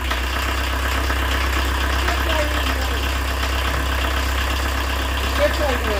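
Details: 1986 VW Jetta turbo diesel with very low compression, started off the key after four working glow plugs and the injection lines were refitted: steady, even low clatter at idle, no misses or stumbles; normal idle.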